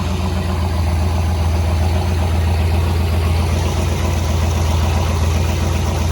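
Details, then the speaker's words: Old 440 engine after lowering an idle speed set too high (throttle plate was open): settles into a steady, even low hum with no stumble or surging; smooth normal idle. "So you can hear it idling a lot better too. Right about there, nice and smooth."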